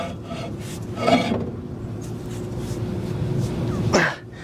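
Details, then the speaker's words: 1960 Chevrolet Impala, sat 32 years, hub turned slowly by hand with brakes backed off: dry, gritty rasp throughout from a worn-out inner wheel bearing, a ball bearing rather than a taper bearing; the other side's hub is silent. "that bearing in there that inner bearing is toast"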